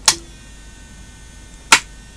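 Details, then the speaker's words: Sony Betamax SL-C9 video recorder with suspected power-supply fault, powered via isolation transformer: two sharp isolated clicks about 1.6 seconds apart over a faint hum; power supply ticking, cause unconfirmed. "that okay so that's just uh making an interesting noise that power supply"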